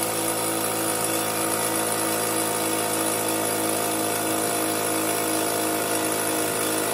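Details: Fortress 5 gallon air compressor after pressure switch replacement (part #56402): constant dense motor hum with even pump chatter, no knocking or squeal, pumping up before cutting off at 225 psi; normal run.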